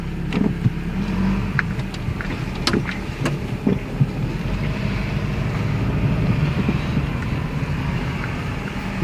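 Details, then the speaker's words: 1996 Toyota Camry after replacing passenger-side CV axle, test drive turning steering under throttle, window open: steady road rumble and wind, no grinding or clicking anymore; grinding previously occurred only when turning. Normal CV axle operation. "all right i don't hear any grinding sound anymore so actually when the car is a straight line you won't hear that"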